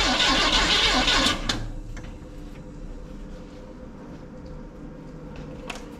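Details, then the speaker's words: 1971 C10 V8 first start, temporary fuel line, lifters possibly not set or pumped up: cranks, catches, settles to lumpy idle missing about twice a second; misfire, dead number three cylinder. "dead on three number three no it's dead on three three cylinder"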